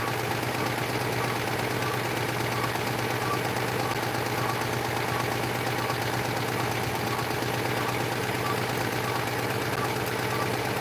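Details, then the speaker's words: Citroën 2CV flat-twin on a dyno during spark checks; steady even idle with constant low throb, no missed beats, judged definitely running on both cylinders, normal idle. "Definitely running on 2. Sounds like it."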